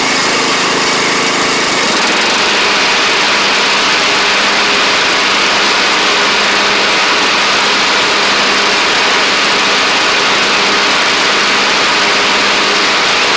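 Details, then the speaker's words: Troy-Bilt Pony rider with a used replacement engine and new head gasket, cold start the next morning: steady, even small-engine drone with a brief rise near the start; runs smoothly but smoked heavily for about the first minute, then cleared. "Now, it's just doing it when you initially crank it up. And as y'all saw, it smoked pretty bad for about the first minute, but then it did cl"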